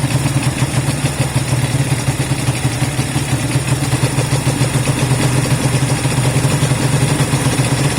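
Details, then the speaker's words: Honda CB200 twin first start after many months stored, after air filter work and fuel run through: low even burble with steady firing, no knocks or stumbles; idling smoothly, normal idle. "that sounds alright little bits right all right I want it to kind of idle for a few minutes so that's good it started up yeah really good"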